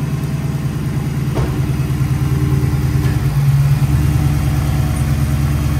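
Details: 2007 Dodge Magnum SRT8, 6.1L Hemi V8, about 14,800 miles, MSD coil packs, K&N intake, SLP cat-back exhaust: deep even V8 burble at idle with steady low pulses and slight mid-clip rev rise, no knocking or ticking; healthy.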